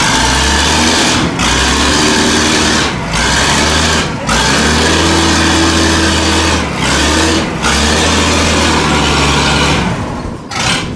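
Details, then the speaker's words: Weatherill loading shovel diesel, running again after 18 years standing, after freeing the linkage: strong, even beat with short dips and pick-ups on the hand throttle, now firing cleanly on all six cylinders. "listen to that now running on all six is a enough that is mad"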